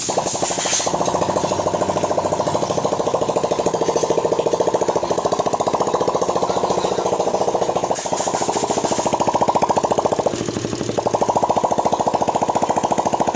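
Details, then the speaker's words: Hard-starting Raider 150 carb single-cylinder motorcycle after cam grinding and new valve seals, now starting in one kick: quick even beat with light ticking clatter; scratched cam holder left unrepaired for lack of budget, noise remains. "So susunod lang daw mga Diyas, yung ingay ng kanyang motor."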